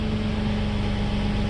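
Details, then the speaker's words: 1995 Mercedes S600 coupe, engine starts and runs: even idle with a hard, raspy, overly loud droning note; exhaust leak somewhere in the system. "So now the engine starts and runs, but you can hear the exhaust."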